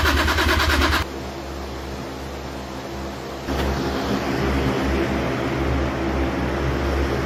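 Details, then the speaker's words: Toyota Chaser 1JZ-GTE swap, started by manually bridging the starter relay after a wiring no-crank fault, with fuel and spark confirmed; fast, even cranking for about a second, then it catches and settles into a steady idle that picks up slightly. Normal start. "Fire up the old uh relay. So this should start cuz we got fuel. We got spark."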